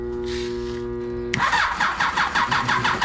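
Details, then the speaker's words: Kawasaki Voyager XII after rebuilt alternator install, choke on, small battery on a charger boosted 20 to 65 amp: steady cranking whine, then uneven lumpy firing bursts; reluctant to start, cause not confirmed. "Let's see if she goes. Oh, that'd help if that was on. Oh no. She don't want to go."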